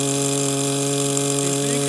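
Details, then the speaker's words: 1930s Cicca tenor air horn motor with two series-wound fields, good brushes and armature: steady low hum that never climbs, about 1,000 rpm by ear, drawing only 5 A free versus an expected 25 A. Runs too slow, giving weak blow and pressure. "But this motor is just not I mean this thing should be spinning u"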